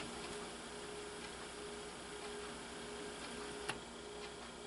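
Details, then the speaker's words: Kenwood KX-67W double cassette deck: soft steady whirr with faint light ticking as the cassette is rewound a little; tape transport rewinding normally. "we are going to return this cassette a little bit just a little bit"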